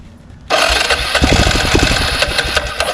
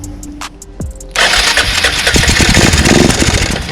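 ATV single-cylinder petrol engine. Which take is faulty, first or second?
first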